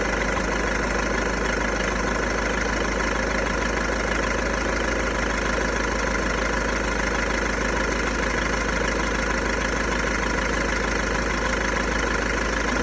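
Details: VW Golf 1.6 TDI diesel, 90,000 km, idling: dense, even clatter about three beats a second that never changes; rattle at idle, owner suspects the dual-mass flywheel, not confirmed.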